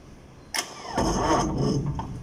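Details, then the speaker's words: 500 kVA generator, hard starting after a loose battery terminal was tightened: sharp engagement then a brief labouring crank that fades without running; turns but won't start, smoke seen, starter suspected stuck, engine thought fine. "Sige nga, tol. Parang ayaw mapaikot."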